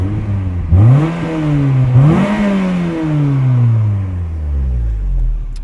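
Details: Peugeot 206 GTI 180, 107,000 miles, anti-pollution fault showing: two quick free revs rising cleanly and falling back to idle, no rattles or misses; sounds healthy.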